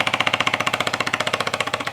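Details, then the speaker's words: Bissell Symphony 1132 vacuum and steam mop after steam pump replacement (part 1603370), tested with water on high with the trigger pulled: fast, even thumping of about fourteen beats a second, the steam pump pumping normally. "let's hit high and pull the trigger pin there it is turn up hear that thumping noise I guess that's plenty"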